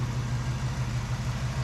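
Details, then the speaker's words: 1974 AMC Javelin, original engine without aftermarket cams, new timing chain, at night with lights on: steady, even low rumble with no ticks or knocks; normal idle. "yeah, listen to that. No ticks, no noise, just nice and smooth, like it's right out of the factory."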